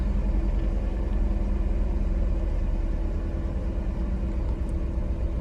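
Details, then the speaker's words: BMW E36 cold start after sitting two days; sputters into limp mode from mid-temp: low lumpy stumbling idle, pretty bad misfire; owner plans checking plugs, coil packs and wires, thinks vacuum leak possible but doubts it; rough idle misfire, cause unconfirmed. "before the temp got cold. So yeah, you can kind of tell. Pretty bad misfire, so I'm gonna probably end up checking the plugs and then checking the coil packs, and yeah, coil packs, wires, coil wires, all that, and hopefully figure it out."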